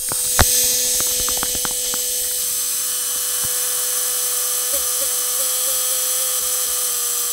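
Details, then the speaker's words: Bench mock-up of a BMW three-phase fuel pump with its fuel pump control module, bench power supply and simulated engine control module signal: a steady high electric whine rises slightly in pitch as the control signal increases, showing normal pump speed control. "you can see that we can control the speed of the pump"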